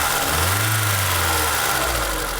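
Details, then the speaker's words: ZAZ Tavria Sens engine after valves rechecked and adjusted, belt and cover reinstalled to cure a rattling knock at idle: now settles smoothly with rpm easing down, an even hum with no rattle or knock; normal idle. "Сейчас двигатель работает ровно, спокойно, равномерно."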